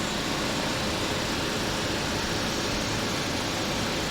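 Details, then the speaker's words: Air conditioner with a large S-Series Tecumseh compressor, brought back to life with a fresh R22 charge and producing lots of condensation; no leak found, likely low from factory. Even steady rushing hum, no knocks or cycling; normal running. "Unit being brought back to life. Fresh charge of R22. I like seeing stuff like this."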